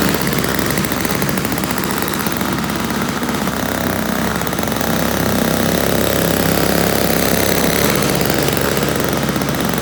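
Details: Toro CCR1000 3-horse single-stage two-stroke snow blower, after cleaning a gummed-up carburetor jet and removing string from the paddles: steady buzz with a slight rise digging into snow, no stumbling or surging; normal running under load.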